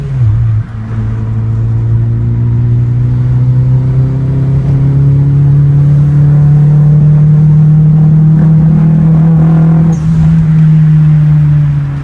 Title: ca18det misfire problem